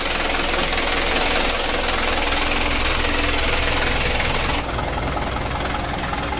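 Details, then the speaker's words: Mitsubishi Canter 136 PS diesel in a tour minibus burning oil, after tune-up, before piston ring replacement: heavy idle clatter with a regular knock about three a second; still slightly rough but drivable, cause not found, teardown needed. "Ini masih ada goyang sedikit ya tapi kita buat dalam dulu masalah ini perlu bongkar ya"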